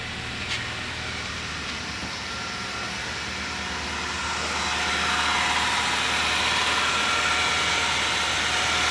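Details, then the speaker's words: Smooth, even idle and light revving of a Ford Zetec Rocam engine (Fiesta/EcoSport/Ka) after repair of timing chain slap and lifter tapping; runs soft with no chain or lifter noise. "vou dar uma aceleradinha aqui e só pra vocês verem estou trabalhando muito macio muito bonito o funcionamento"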